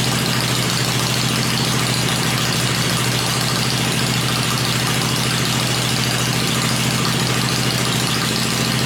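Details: Freshly built 96-inch V-twin with Edelbrock heads on an engine run stand, cycled through revs before going in the bike; stand shakes at lower revs; steady, even beat at fast idle, no knock, tick or misfire; normal fast idle.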